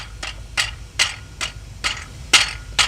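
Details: Chrysler minivan with crunchy ticking noise at idle; transmission removed, flexplate on crankshaft rocked by hand with engine off gives sharp metallic clinks about twice a second; cracked flexplate.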